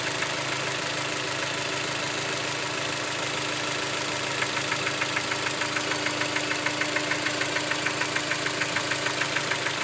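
Steady idle with a sharp, even tick coming in partway through, about three per second, clearly above the engine hum. Knock, cause unknown.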